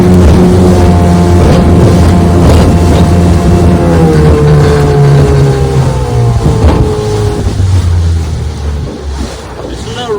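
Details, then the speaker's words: Restored 1996 Johnson 15 HP outboard, model J15RED0, warmed up. Steady drone under way on the lake, pitch shifting slightly with throttle, with no misses or knocks. Normal running. "She runs great. Let's just take her for another little spin here."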